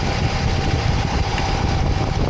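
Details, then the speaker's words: 2012 Honda CR-V, engine running with AC on: rough gritty scraping churn; compressor clutch engaged but not spinning, sparks and burnt-clutch smell, compressor internals seized. "so we are looking at a seized compressor the internals of the compressor are not turning so when the clutch"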